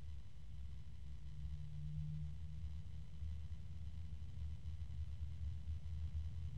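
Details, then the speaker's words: SilverStone Air Penetrator 184i-Pro 180mm PWM fan at higher speed: steady low-pitched hum with rough drone underneath, which reviewer thinks masks bearing noise; not a quiet fan, cause unconfirmed. "it's a fairly low pitch and once it gets up this high that noise uh this noise is drowning out the sound from what again I think is the bearings but it's not a quiet fan"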